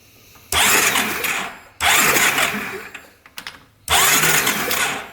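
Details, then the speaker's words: 2012 Honda Rancher 420 ATV: three bursts of fast, even starter cranking that never fire; no spark at all, kill switch working, still no spark with a new plug or direct engine ground. "nothing no spark at all nothing not even a little bit"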